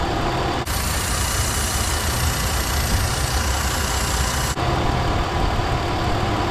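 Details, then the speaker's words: Petrol engine at idle after replacing leaking fuel injector O-rings: smooth, even idle, no misfire or stumble, no whistle or hiss; audible intake air leak at the injector is gone. "we no longer actually hear the audible intake leak from that injector o-ring"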